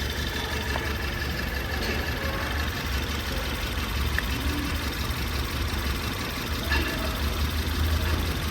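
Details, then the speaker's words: Ford Taurus 2018 turbo, customer complains of strong shaking, code P0301: uneven lumpy idle with irregular stumble under steady rumble, cylinder 1 dead and misfiring from lost compression. "الزبون يشتكي من تفتفه بالسياره قويه كثير ف نشغل السياره ويكم التفتفه اللي فيها يمكن واضح الصوت"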